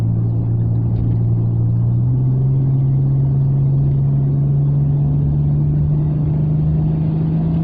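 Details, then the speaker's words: Rover 45 V6, freshly serviced, accelerating: steady drone whose pitch steps up as the variable intake (VIS) flaps switch runner length at 3000 rpm, then climbs smoothly; normal. "I don't know if you can hear the transition, but as it hits 3000 revs, the air intake system adjusts via the vis flaps."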